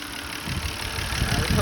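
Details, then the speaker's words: BMW 328i after battery replacement for a no-crank no-start, just started: rough, unsteady idle with stumbling pulses that swell slightly; smoking as old oil burns off, old gas suspected, owner says it needs a tune-up and spark plugs. "oh man running rough but get getting there something burning little bit might old oil clean all way off tune up though Def need on spark"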